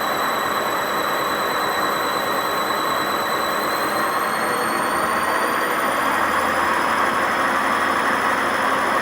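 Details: WMA50 washing machine spinning without ballast: harsh rushing roar with thin whining tones climbing as drum speeds up; very bad drum bearing noise.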